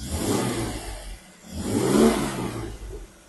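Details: Jaguar E-Type 4.2 Series 2 with three HD8 SU carbs, after health check and tune: two quick throttle blips rise and fall cleanly back to a gentle purring idle with no stumble or hesitation; clean throttle response.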